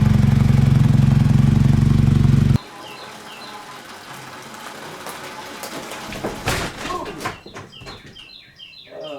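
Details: Honda VF1000 V4-powered buggy started after sitting about 4 months: thumps about four beats a second then cuts out, lumpy half-power idle; running on only two cylinders, hence no power.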